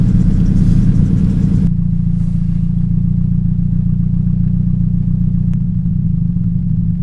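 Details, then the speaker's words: 2007 Toyota Yaris 1.5L 1NZ-FE: low, lumpy idle with an uneven thump three to four times a second from a cylinder 3 misfire, suspected bad coil; pulling coil 3 wires tested it, coil/plug swap planned. "My '07 Yaris sounds like it has a misfire."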